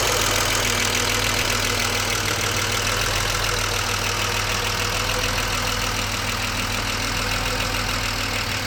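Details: BMW 635CSi E24 being investigated for rough idle at cold and warm start, after the air hose was refitted to the throttle body (ICV) and the engine restarted warm at about 80% operating temperature: a smooth, steady idle with no stumbling. It previously stuttered or stalled on throttle.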